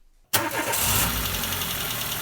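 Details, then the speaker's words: Renault Logan 1.6 with air conditioning and power steering, alternator belt removed: engine starts into an even idle with no knocking, so the knock comes from an accessory—power steering pump, alternator, AC compressor or rollers; alternator rear bearing suspected. "как видите стука нет значит здесь у нас получается штук идет не с двигателя а из каких то его дополнительных агрегатов"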